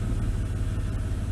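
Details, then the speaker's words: 2002 Dodge Stratus 2.7L, fully warm after about three miles' drive, after replacing transmission control solenoid; earlier loud whine from driver side of engine/transmission now gone. Low even engine rumble, no whine: normal running. "heated everything up everything's nice and warm it sounds a lot better can't hear that loud whining noise anymore"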